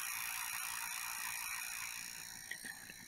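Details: Second Nintendo Wii with a disc read error: a fast, scratchy ratcheting chatter, about four clicks a second, as the disc spins, then an error occurs.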